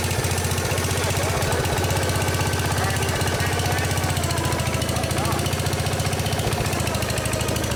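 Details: Case 222 lawn and garden tractor, sat for years, revived: small single-cylinder thumps at a steady even beat with no misses, running on its own again.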